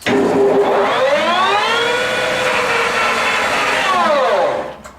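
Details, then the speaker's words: Millport SJ-1740G lathe, two-speed motor on high, spindle run at top speed 2,000 rpm briefly; clean gear whine climbs, holds steady, winds down evenly, no ticks or knocks; headstock runs sweetly at every speed. "As you can hear, it sounds beautiful in every speed on there. There's not a tick in there or nothing. So it's a very nice running machine."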